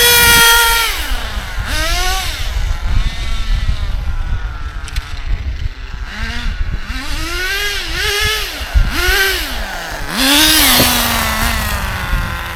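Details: ACME Condor Pro A300 1T 1/10 nitro RC buggy, circa 2002–2005, not run for almost 20 years, engine preheated, throttle trim high; high buzzy engine snaps up and down in pitch with each throttle blip, picking up cleanly; normal running.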